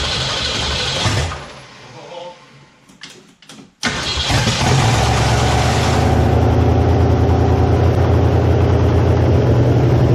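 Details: 1969 Mustang V8 first start after sitting, electric choke not yet hooked up. After a few cranks it catches loudly and settles to a steady, deep idle with no stumble; oil burning off the top, no smoke, good compression. Healthy.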